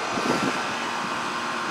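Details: Goodman AC condenser on a no-cooling call, running after the 40/10 capacitor was replaced with a stock 35/5 dual run; steady, even fan whoosh over a smooth compressor hum, no clicking or straining; normal operation.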